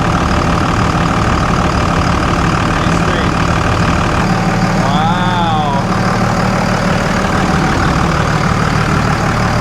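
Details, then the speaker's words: 2000 Dodge Ram 3500 5.9L 24V Cummins with rebuilt transmission and transfer case, after shifting through gears: deep, steady diesel clatter at slightly high idle, even with no misses or knocks; normal diesel idle. "Oh, she's high idling. Stop it. Quit high idling. Oh, yeah. Listen to her go."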